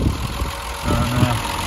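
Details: 50-year-old Triumph 2500S straight six, after over two years in storage, idles with a low, fairly even burble and no missing or chopping beats, sounding healthy.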